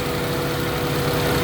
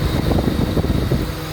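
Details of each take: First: Honda Civic ESi, engine hot, complaint of idle dropping with AC and stalling, IACV checked: idle swells and hunts wildly after base idle raised; mechanic then resets idle adjustment to middle. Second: Honda Civic ESi, after base idle screw reset to middle, AC switched on: steady low idle holds even under AC load without dipping or hunting; idle correctly set.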